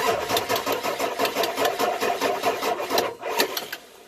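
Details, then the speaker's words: Ford Excursion 7.3L diesel with one or both batteries suspected failing; it was hard to start in cold winter weather and needed a jump. Starter chugs the engine over in a rapid, laboured, even rhythm, about two beats a second, without catching. Slow cranking, cause not confirmed. "That's a dreaded sound every diesel owner hates to hear."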